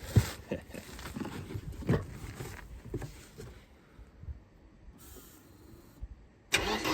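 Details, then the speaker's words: Mercedes-Benz 190E, gasoline, first start attempt after about 7 years unused with old fuel, hot-wired at the ignition lock: starter cranks in uneven bursts, then goes quiet and the engine never catches; crank, no start. "Well, nothing really happens. So I just gave it a little bit directly. Now it will start, but it will not run maybe."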